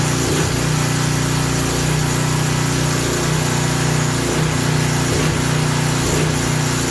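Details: Craftsman 3000 psi, 2.3 GPM pressure washer small single-cylinder engine running unloaded after carburetor refit; oil had been overfilled to the top of the dipstick: steady buzz with slight speed rises and dips about every second, surging at no load.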